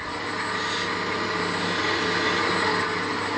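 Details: 1940s A.G.E. three-phase antique motor, possibly with sleeve bearings, running at normal speed after the pulley was loosened: even, steady hum with a light airy rush, no knock or grind; runs well, normal running.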